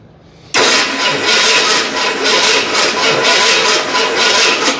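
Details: Fire-damaged 1981 Ford Bronco just bought, carb freshly filled and coil powered directly: a strong, even starter churn for seconds with no firing at all. Crank-no-start, with ignition timing and the distributor suspect.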